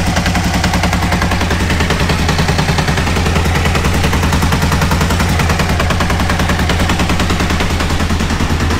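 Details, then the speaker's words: Aprilia RSV Tuono 1000 after over-rev from missed shift (2nd instead of 4th at limiter): loud harsh clacking three to four blows per second, owner says in the clutch. Serious internal damage suspected, not confirmed. "Là, ça claque, là. Et ça claque dans l'embrayage."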